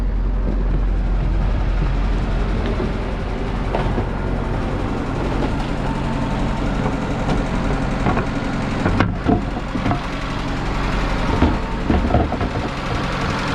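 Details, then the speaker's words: Inboard motor of a 1978 Islander Bahama sailboat under restoration, idling after 1 hour of running since the work. An even, steady hum with light clatters; running smoothly with no leaks. "You can hear she's humming along and running just fine."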